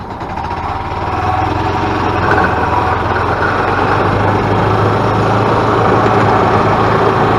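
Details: 2000 Yamaha G16 golf cart on its first test drive after an engine rebuild; it had been making a very loud racket and would not go. Smooth, even engine note under load with no knocking or misfire; pulls with good power.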